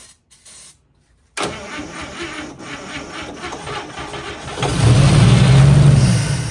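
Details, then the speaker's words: 1955 Chevy Two-Ten coupe parked 40 years, tried without the jump pack: steady cranking about four turns a second, briefly surging louder but never catching; cranking no start. Owner suspects it isn't pulling fuel and the fuel pump isn't pumping. "I don't think it's I don't think it's pulling any fuel"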